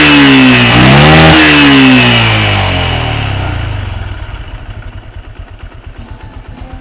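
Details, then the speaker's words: Yamaha Jupiter MX New after carburetor service and air/idle setting; crisp throttle blips rise and fall cleanly then settle to an even, steady idle beat with no stumble. Normal revving, setting judged economical with good power. "Oke Bro aman sekali tidak ya langsung satu kali jadi dan tinggal nanti untuk uji cobanya itu pasti tapi sudah pasti enak sih setelan seperti ini pasti enggak terlalu boros akan tetapi juga tenaganya itu dapat ya bro"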